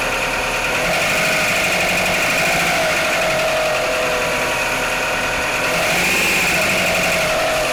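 Cold idle carries a steady knock about four times a second under a wavering whine; an internal knock, source still undetermined.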